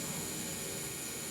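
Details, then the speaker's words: Inground sprinkler zone valve leaking through when closed: steady unchanging hiss of water seeping past, lowest head bubbling; solenoid functions when loosened; junk lodged in valve assembly prevented diaphragm sealing. "it's just not shutting completely. Right. So, right, and this one just bubbles. So it's not shutting off completely."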